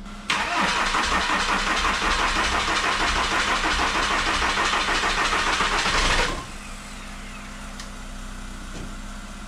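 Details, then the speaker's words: Skoda Octavia 1.9 TDI diesel after injection pump and water pump work, weak battery, second attempt jumped from a Peugeot 206: strained uneven crank for several seconds, then catches and settles to a steady idle. "Bon, avec une batterie faible, c'est jamais évident de s'en sortir."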